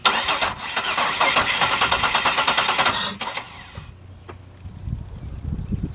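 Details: 2002 Buick LeSabre no-start: starter cranks the engine in a steady rhythm for about three seconds but it never catches, then cranking stops.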